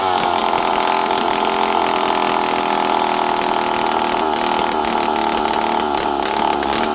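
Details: Poulan 5200 chainsaw, run again after 5-6 years, holds a high, steady two-stroke buzz at even revs with no surging or bogging; starts and runs good.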